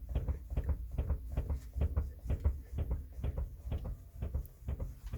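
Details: Mercedes-Benz W212: dull low knocks about two a second over small bumps at low speed and when rocking the rear, from the upper left rear strut area; struts new, bolts tightened, trunk emptied; owner suspects upper strut bump stop or cup; unconfirmed.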